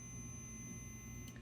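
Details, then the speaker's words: Pocher Mercedes 500K model's dash key switch tested with a meter, key turned on: a steady, low, quiet beep under faint room noise shows continuity, so the key switch closes properly. "I don't know if you can hear that it's kind of a low beep but you can see we do have continuity now"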